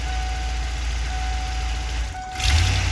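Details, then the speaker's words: 1994 Ford E350 Club Wagon 351 V8 with misfire, in Drive with brake held: steady low idle then brief sag and stumble as throttle is touched before revs pick up, immediate tip-in hesitation. "oh yeah as soon as I touch the gas and immediate hesitation"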